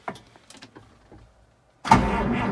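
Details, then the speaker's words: 1955 White (rebadged Oliver 1955) diesel tractor cranked on the key after glowing: slow, labored starter with few lazy turns before it catches and roars; owner blames weak starting power and suspects jumper leads from a ute would spin it quicker. "little bit reluctant. She's not real happy there. Yeah, see, there's not a lot of crank in that starter. Like, it's pretty slow, and I reckon if I put a ute on that with a set of jumper leads, it'd probably go straight away."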